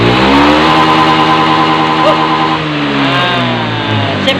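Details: Honda Beat FI scooter after CKP sensor repair: steady high rev held at full throttle, even pitch, no stumbling or cutout; previously stalled when hot, now running healthy.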